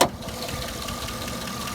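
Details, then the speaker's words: 2009 Cadillac Escalade at warm idle: light, fast, even top-end ticking that appears every time it warms up and quiets after restart; owner guesses the oil pump may be failing, cause unconfirmed. "yeah you can still hear the tick like I said dried like how it isoot still ticking every time it warms up it"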